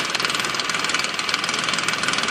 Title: 2005 nissan quest rattle noise front of engine